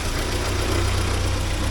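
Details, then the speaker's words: 1979 Porsche 924 after timing belt fix and tensioner spacer adjustment: short, even low idle with a steady pulse and no ticking, slapping or squeal from the belt area; normal idle. "yeah there we go that's satisfying"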